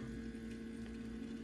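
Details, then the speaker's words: Land Rover Defender TD5 during fuel and oil filter change: ignition on without starting, accelerator pumped five times, lift pump primes with a quiet steady electric hum and a gurgle of air purging through the circuit; normal priming, run-on thought to be about 30 seconds. "if you turn the ignition on without starting it then pump the accelerator five times you get the key go on or the engine management light come on and what that's doing is you can hear it's actually priming this for us so you can hear the pumper in"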